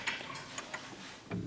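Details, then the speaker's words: 1950s Smiths Enfield striking mechanical mantel clock on an uneven surface: a few faint, unevenly spaced ticks fade to a stop; out of beat, corrected by pushing the clock slightly left to shift its centre of gravity. "And you can hear whatever surface you've got, it's uneven. So you can hear that the tick is a bit off."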